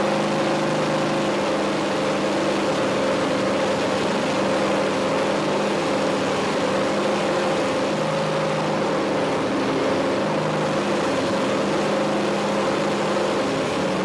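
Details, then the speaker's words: 5.3L LS truck engine on MegaSquirt MS2 with new idle air control, little-run; steady drone held well above normal idle, IAC adjustments had little effect, owner suspects a vacuum leak, unconfirmed. "i played with the idle air control it didn't seem to make much effect it's still running way up high in the rpms"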